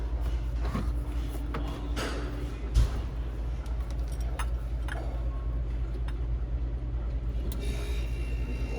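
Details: Refrigeration unit compressor that wouldn't start (burnt transformer smell after town power issues), restarted after fitting a 3-in-1 start kit: deep steady drone holding constant after start, scattered handling clicks; compressor running normally.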